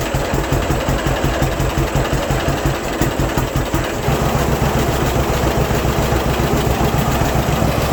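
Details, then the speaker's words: 1952 John Deere AH Hi Crop two-cylinder tractor, sat 15 years in a museum, started with choke and a little throttle to warm up: settles into a slow, steady putt with no knocks or misses; normal idle. "Old girl sounds pretty good to me."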